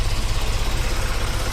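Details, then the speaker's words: 1965 Ford Mustang V8 with Edelbrock carburetor has a deep idle that lumps and stumbles like it's dropping cylinders, clearing up off idle and driving fine; suspected blocked idle circuit on one side. "s you bring the revs up it clears up it's it's like it's not hitting on all eight at idle but as soon as you bring it up when you drive it down the road it's fine"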